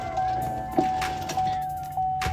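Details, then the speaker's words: 2013 Chevy Volt power window, heard inside the door before regulator replacement. The motor whirs steadily with a clunk about every half second while the glass doesn't move. The broken regulator's pulleys are not functioning. "you can hear the motor working in there but all that sound you're hearing is pulleys and stuff not functioning right"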